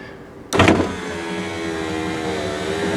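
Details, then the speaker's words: 1994 Ford F150 power window motor just replaced, door panel off, regulator lubed with engine assembly oil: a sharp clatter of banging knocks at motor start-up, then a steady whir. The owner suspects the big sprocket or gear driven by the motor. "down in here you hear that banging when it first starts up it's that a big I don't know what you call it sprocket or gear that that runs off of the motor right there and I think it's it's that's what's making that noise"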